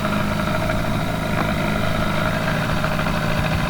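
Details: Johnson 4 HP twin-cylinder two-stroke outboard on a river boat, hot, which still needs choke, running slowly at about 2.8 mph: busy, uneven throb over a steady hum that sounds lumpy but wants to give more; lumpy idle, cause undetermined.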